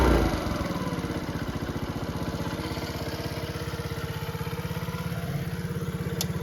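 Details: Restored Honda CT70 with a 110cc Lifan electric-start engine or original 70cc, four-speed: quick, even single-cylinder putter at idle, every firing pulse clean and regular, no misses or knocks; sounds healthy.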